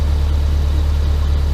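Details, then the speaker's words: Subaru Impreza boxer engine rebuilt with SOHC heads, first start after over 2 years: deep even thrum at constant speed, no stumbles or ticks; running nice, idle just dropped, tach working, check engine light on. Normal idle. "It's running nice, idle just dropped. I've got a good working tach."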